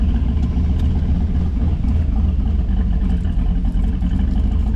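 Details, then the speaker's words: 2005 Silverado with junkyard 5.3 V8 swap, Truck Norris cam, new head gaskets and studs, no tune, first start: deep, steady idle with slight cam lope, even beat, no knocking, fired up immediately, about 60–70 psi oil pressure; normal idle. "For not having a tune, I can't believe how good it's running. It fired up immediately."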